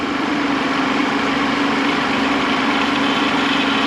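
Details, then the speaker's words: 2010 PT Cruiser, Chrysler 2.4, engine rebuilt after a broken timing belt: steady mid-pitched power steering pump whine over the idle from low fluid. "power steering is not doing so well wonder if we're out of fluid yeah I hear the pump screaming it's not okay"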